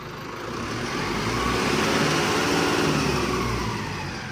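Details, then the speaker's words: Mahindra Arjun NOVO 605 DI tractor diesel just fitted with turbo kit after three days' work, throttle blipped: engine swells and eases with faint airy whistle, no rattle or scraping; healthy turbo. "थोड़ा सा accelerator देना। हाँ भाई ध्यान से सुनो, turbo की sound आने लगी।"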